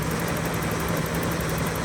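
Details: 1985 BMW 325e E30, parked four years with crank/no-start, no fuel, no spark; after replacing both fuel pumps, crankshaft position and speed sensors, fuel filter, plugs, distributor and rotor: steady even idle, constant low hum, no misses or ticks; normal idle.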